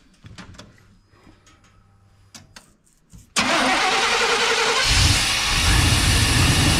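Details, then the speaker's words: 1990 Chevrolet K2500 that sat for years, new fuel pump, after cap and rotor replacement fixed random misfires (replaced cap failed within two months): cranks, catches and settles into an even, steady run; idle always slightly odd, IAC valve or vacuum leak suspected. "so here we are uh went ahead and change the cap en rotor and seems to be running really good"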